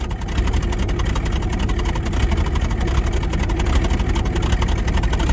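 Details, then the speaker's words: 1985 Chevrolet K20 4x4, 350 V8, running after sitting 10+ years with a coolant leak at a hose or thermostat housing: deep, uneven, lumpy idle at about four pulses a second that never quite settles; not running great but sounds not half bad, only slight smoke. "Man, he is not running. Great, but he doesn't sound half bad."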